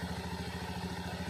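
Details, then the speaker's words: Honda Scoopy FI after repairing rat-chewed wire to the ignition coil that caused no spark: quick, even idle putter with crisp regular pulses and no misses; running properly. "oke teman-teman karena motornya sudah normal kembali ini kita tinggal rapikan aja nanti saya akhiri dulu video nya"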